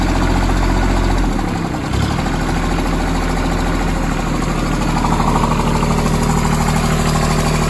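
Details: Branson 2500h tractor with A1100 diesel, bought three weeks ago, at 38 engine hours, idling with an uneven knock of two to three per second over the clatter. Owner suspected the rocker arms but doubts it; source not pinned down.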